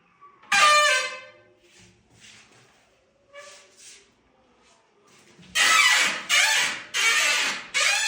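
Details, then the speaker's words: Glass shower enclosure door after re-hanging the sagging door and replacing seals and spacers: loud shrill squeals from the hinges with each swing; dry hinges needing lubrication, cured with WD-40 (silicone grease recommended). "И сейчас тут у нас заиграла музыка в петлях."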